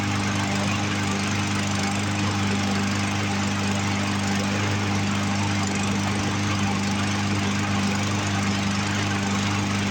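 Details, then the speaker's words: Roadside-found Poulan Pro push mower, Briggs & Stratton 550EX engine, running from tank after carb cleaner: fast idle buzz with slightly uneven beat and occasional skips; rough running from partly plugged carburetor, carb to come off. "Well, it did take off and run on its own, pull fuel out of the tank that time. Didn't want to prime, and it's still kind of running a little rough. I don't know if you guys can hear it skip on camera or not."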